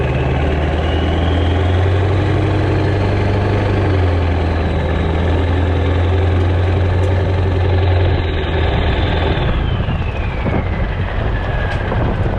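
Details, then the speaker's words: Stock 7.3 Powerstroke diesel with rebuilt, upgraded larger later-model turbo and 4- or 5-inch exhaust only, warming up: steady deep idle with a faint high whistle rising then falling, clean turbo spool. Normal idle. "We're letting the truck warm up here. I'm gonna give it a little bit of gas when I leave here, and we'll see how she performs."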